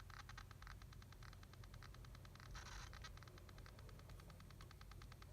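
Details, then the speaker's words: Geloso G319 vintage tube radio with hot mains-connected chassis, tested during restoration: steady low hum with fast even ticking, always at the same level; origin unknown. Constant background noise. "it's not clear to me and what's the origin of that noise if I it's always at the same level and so I don't know what's causing that"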